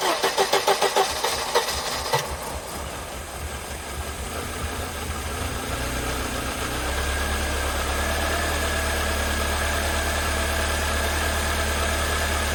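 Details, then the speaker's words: 1988 Mercedes 190E W201 on a cold day, first start after valve stem seal replacement and refuelling (no-start was blamed on lack of fuel): brief cranking, then an uneven idle settling to a steadier hum; rough idle, slight misfire. "Okay, the car starts. Have to give it a little chance to still running a little bit rough. But to be honest, it kind of misfiring a little bit."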